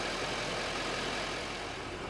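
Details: Chevrolet 2500HD 6.6 Duramax diesel idling after gasoline-in-diesel-tank fix, left running a while; steady, even low rumble with no knocks, misses or whine; engine sounds healthy.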